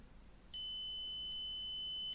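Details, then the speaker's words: 1981 Rakieta 7M2 vacuum, MD-010 motor, with no short to the housing found: after a brush is removed and refitted, one clean, steady high beep holds for about 1.5 seconds. Continuity through the motor leads is restored. "I put the brush back on. The connection should now be back."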